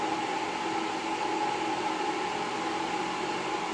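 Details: Camel MMA250I 250 A inverter welder after its four burnt-out IGBTs were replaced and the diodes checked. Powered up through series power: a steady fan rush with a constant faint high tone and no crackle or buzz, and output measured at about 61 V. Normal running.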